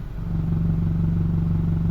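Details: 2006 Honda CR-V stopped in gear, foot on brake, A/C on: deep fast rattling clatter at idle tied to engine firing, started after starter motor replacement; new motor mounts didn't cure it, owner suspects exhaust banging.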